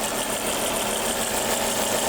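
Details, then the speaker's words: Engine around 200,000 miles: smooth, even idle with steady mechanical hiss and no knocks, ticks or misses; quiet and healthy despite suspected blown-engine smoke concerns. "it's quiet actually I think feel good actually dude oh my that sounds great I mean you know for 200,000 Mi I think it sounds"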